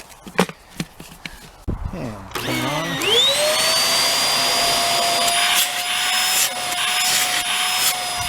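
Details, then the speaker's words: Hoover Air Steerable WindTunnel vacuum after disassembly and cleaning of a clog: a few clicks, then the motor spins up to a steady, even high whine with no grinding, and the brush bar turns freely. "the brush bar spins nice if there's hair in there right along in here or in there just take it out and there's a little bit of hair on the brush bar which will be cleaned off but it spins really nice"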